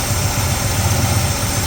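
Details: Ford Falcon V8 on a Sniper fuel setup, cold start after swapping plug wires 7 and 8, which were on the wrong way. Deep, even burble idling about 1,000 rpm with no misses, still smoky but smoke lessening; smooth idle.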